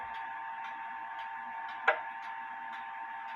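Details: Clock ticking about every half second with uneven tick-tock spacing while the crutch is adjusted left; out of beat.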